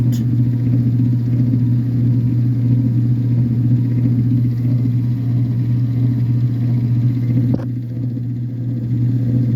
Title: loud buzzing noise on high speed agitation only.